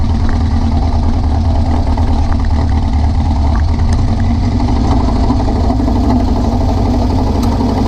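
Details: VW beach buggy (Prowler body) air-cooled flat-four at idle after new plugs, leads and distributor arm: loud, uneven lumpy misfire, owner thought it might be over-fueling; cause turned out to be a blocked idle jet in one carburettor.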